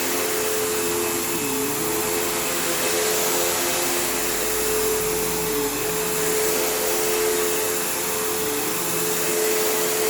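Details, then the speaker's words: Kenmore PowerPath System vacuum on living-room carpet, just acquired: steady mid-pitched whine that sags every few seconds, then a long motor wind-down. Tired motor; the brush roll needs work and the slipping belt needs changing, so it needs a basic service. "You can hear that long motor wind down, which isn't great. But the brush roll obviously needs some work, and the belt obviously needs changed, as does the headlight bulb."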